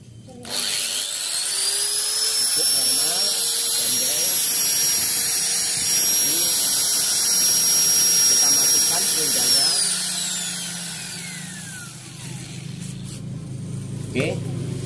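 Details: Angle grinder powered from a homemade 1200 W inverter (maybe about 900 W continuous, 220-230 V, 50 Hz) spins up to a steady high whine held about nine seconds, then winds down smoothly: normal running.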